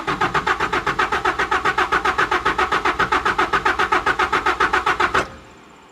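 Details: 1992 Mazda B2600i extended cab, about 3 gallons of fuel added: even cranking at about 220 compression pulses a minute for five seconds with no firing, and the oil light goes out. Owner suspects a dead fuel pump.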